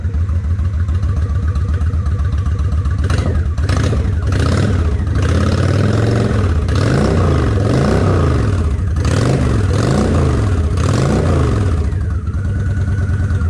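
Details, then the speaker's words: Honda 750 ACE Deluxe V-twin after refitting carburettors and air filter: lumps along with a few throttle blips, then settles to a fairly even beat; idle close. "Let me idle it up just a fraction. Okay, that sounds pretty close. It's not exact, but I'll worry about getting exact later."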